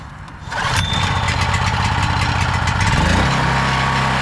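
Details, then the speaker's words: ETQ portable generator after repair with a cheap replacement carb, started first pull on choke: catches right away and settles into a steady even drone, no surging, making power at full RPM; normal start and run. "yeah that's perfect you know first pull with choke and no surging making power so we got um this running and fully operational"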